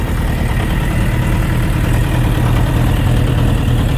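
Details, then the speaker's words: Suzuki RF900 motorcycle idling: steady low rhythmic knocking, about three per second, over the engine note; owner unsure of the cause, with connecting rod bearing clearance suggested as a possibility; not confirmed. "okay guys you've heard that uh soundr some sort of a mocking sound when the engine is running I don't know exactly what that could be but uh someone was actually saying that it's a sign of engine knocking"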